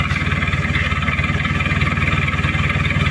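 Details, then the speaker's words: Chevrolet K5 Blazer with a swapped Mitsubishi 4D56T turbo diesel, poorly set up after a previous engine removal, before repair: loud, lumpy idle that pulses unevenly and stumbles, with white exhaust smoke; misfire, rough idle. "ini Lur ada pincang asap putih knalpotnya pun juga separuh"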